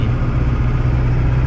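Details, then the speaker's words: Turbo diesel pickup towing a McCormick-Deering 10-20 tractor: a deep, steady, smooth drone under load with no knocks or misses; healthy. "You can even go up hills and not lose speed. Ain't that awesome?"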